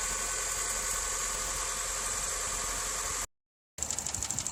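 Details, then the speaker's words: 2007 Honda Civic LX coupe, 168,000 km, switched from synthetic to regular oil, cold start: fast tinny metallic chatter about three ticks a second over high hiss at idle; rattle source unknown. "So this is what my Honda Civic LX 2007 sounds like when it's cold and I just turned it on."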